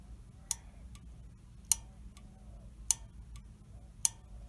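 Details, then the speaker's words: Honeywell gas valve on a water heater, bench-tested with a battery: four sharp clicks as the pilot valve solenoid opens, showing it works normally. "you hear that clicking that pilot valve is opening up and working"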